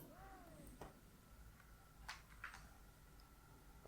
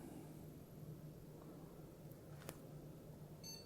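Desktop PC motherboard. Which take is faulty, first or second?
first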